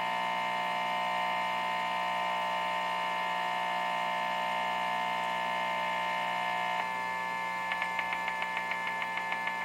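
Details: Guitar amp cranked up in a home studio, with the Wi-Fi unit unplugged and an LG TV in the living room plugged in: steady high electrical buzz, then a fast regular ticking pulse about three per second; interference caused by the TV.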